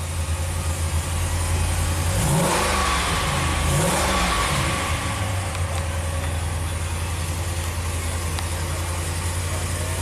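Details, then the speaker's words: 2014 Ram 1500 Hemi V8, 113k miles, in limp mode with low power and codes P0016 cam/crank correlation and P000B cam slow response: revs twice, then lumpy, uneven, labored idle. Cam timing suspected. Rough running. "Fire it up. Yeah, it sounds terrible."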